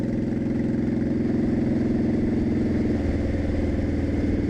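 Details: 2002 Honda Shadow Aero 1100 after carb kit (new jets, shims), GoPro audio at low speed around 35 mph: even loping V-twin thrum, steady pulse with no popping, misses or stumble; running cleanly.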